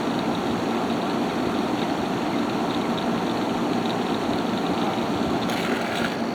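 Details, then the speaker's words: Haier ESA410J-RGB 10,000 BTU window air conditioner, evaporator-side airflow test with the fan on low at about 1,500 RPM, air already cold: a smooth, steady airy hum with an even low drone and no rattles or surges. It is running normally. "Going to go ahead and put it down to low. Pushing out just about 1500 RPM."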